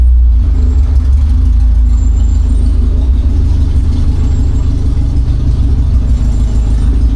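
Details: Classic Honda Civic EG with a cracked header weld (shifter also broken): loud, raspy low drone with fast uneven puffing throughout, much louder than normal; all exhaust gas escapes at the broken weld with a strong smell; exhaust leak.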